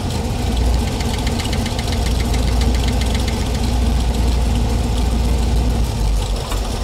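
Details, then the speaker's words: Small-block Chevy V8 in a 1932 Ford Coupe, idling during valve adjustment by ear: a rocker is backed off until a light, fast clatter of excess valve lash appears. Only a small turn was needed, so it was at the edge of tight enough. "So see how little bit I'm turning to make him clatter? That means he was right at the ragged edge of being tight enough."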